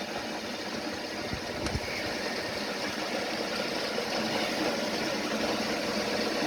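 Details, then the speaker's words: Home workshop lathe after alignment, running without high-impact grease and getting hot: even whirring hum holding steady several seconds with no knock or wobble. The spindle turns true, wobble-free. "no wobbly gooks in it no nothing"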